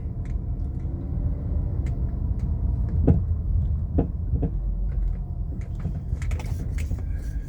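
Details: 2013 Chrysler 200 driving over small bumps: sharp single clacks over low road rumble from the front suspension; no noise when turning, so CV axle ruled out, struts already replaced; cause unknown.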